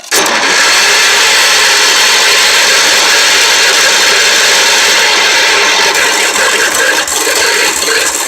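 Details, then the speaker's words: About 1973 Wheel Horse tractor with a 10 hp Kohler, sitting three years, after carburetor and fuel pump cleaning with fresh gas: a continuous, rattly cranking whir on a low battery that never catches. It had fired up earlier but only with heavy hand-choking. "well I guess it doesn't run again but it did fire up that's a good thing batteries a little low so I may have to pull the car over here and jump it off"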